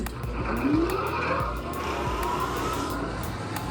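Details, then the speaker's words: Boiler oil burner on a service call over a bad flame, starting up after oil pressure was raised to 20 to give it more oil: blower whine climbs steadily into an even roar as the flame lights; normal burner start-up. "I love that sound of the bur is starting up"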